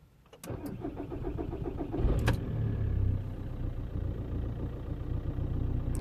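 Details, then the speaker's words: 2006 VW Golf Plus 1.9 TDI (BXE), brand-new glow plugs, restarted after repair work. The starter churns a couple of seconds before the diesel catches and settles. Long cranking, traced to faulty camshaft sensor wiring. "still taking a be for some reason try again starts is better now it's going to do one more time it's still taking a Le bit for some reason"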